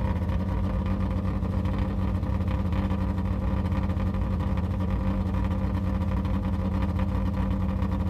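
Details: Yugo small petrol engine idling with loud raspy low rumble and uneven puffing from an exhaust leak.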